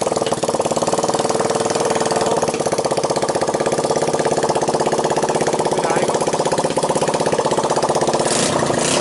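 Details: 1985 Honda ATC 200X junkyard three-wheeler, just cold-started on starting fluid, camera on the tire. Busy single-cylinder idle with an even, steady beat and no valve, timing chain or bottom-end noise. Normal idle.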